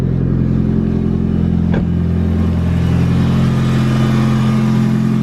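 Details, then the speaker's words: Mitsubishi Evo after fitting intercooler piping and a blow-off valve, with the MAF plug reseated and codes cleared: loud steady revving with a quick chattering turbo flutter when the throttle closes, so the setup now works. "Well, after at least all of this day, at least we can say we have flutters now. Listen, we actually have flutters, so. We have flutters now, which is good news."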